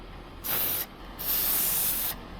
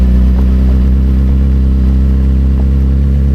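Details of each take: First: 2007 Suzuki GSX-R750 wheel: sharp bursts of high hiss each time the valve stem is slightly tugged, quiet between; tyre valve stem air leak, fixed with a new valve stem. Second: 2007 Suzuki GSX-R750 inline-four with Power Commander 5 and M4 slip-on exhaust, revving: pulls smooth and even, then the note drops cleanly as the throttle closes, with no clatter or misfire. Normal revving.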